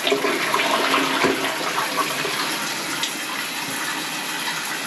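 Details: Toilet that had been backing up the shower drain, after drain cleaning and flushing with warm water: strong steady rush of water draining freely without gurgling or backing up; flushes and drains normally.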